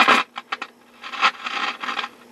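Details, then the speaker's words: Dumont RA-103D Rumson radio under restoration, first sound test: irregular bursts of scratchy crackle over faint steady hum as the volume knob moves; dirty volume control. "that's a good sign this have a rather dirty volume"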